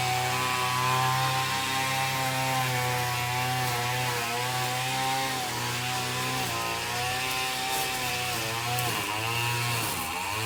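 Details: McCulloch T55 CLS line trimmer after tightening loose cylinder head bolts that had caused a no-start: buzzy two-stroke holds a steady idle, then climbs and falls cleanly with throttle blips; running healthy.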